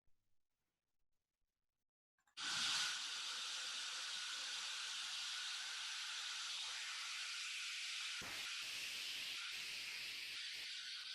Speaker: À l'inverse, un purgeur qui ne cycle pas va avoir un flux continu, un son continu comme ceci.